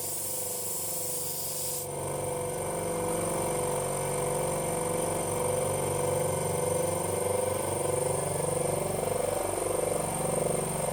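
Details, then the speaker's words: 50L twin air compressor on test run, starting on pressure switch: motor kicks in and settles to an even chopping drone, about two beats a second, steady and smooth, helicopter-like; running normally. "It's worth having it turn off. Sounds like a helicopter, don't you think? It does. Sounds like a Chinook."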